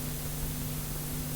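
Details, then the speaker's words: Vintage cassette deck playing a new blank chrome type II tape, Dolby off: constant loud hiss with low steady hum; deck's own playback noise is excessive. "And if I press play, you will hear a lot of noise."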